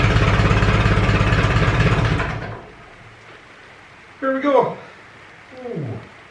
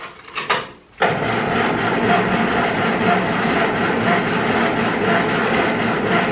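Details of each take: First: Ferguson 20 petrol/TVO tractor, sat 10–15 years, after carburetor cleaned (needle valve seating, float free): steady even low putter about 3.5 beats per second, then shut off; healthy idle. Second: Ferguson 20 petrol/TVO tractor, sat 10–15 years, jump battery to starter, fuel freshly added: starter churns steadily about eight seconds with no firing; carburetor gummed up and dripping fuel, owner suspects stuck float.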